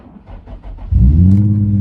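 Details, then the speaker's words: Nissan 350Z with a flat battery, started by jump pack: quiet at first, then the engine catches within a second and settles to a smooth, steady rev with no misses or knocks; normal engine start. "And then you simply get into the car, put the key in the ignition, let the gauges sweep, and hopefully this is what you hear when you start."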